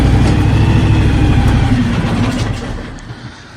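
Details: John Deere X724 tractor with 54" snow blower; steady, even low engine drone with no knocks or grinding, dropping off smoothly toward the end; blower running healthy.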